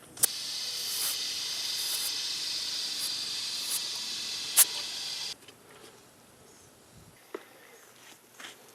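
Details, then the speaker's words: Kubota L3301 HST diesel tractor tire with slow leak after earlier puncture repair, traced to inner side of the metal rim: steady sharp hiss for about five seconds then cuts off; air escaping from the rim. "i think it's leaking from right there i think that might be some residue from water or something where it leaks from"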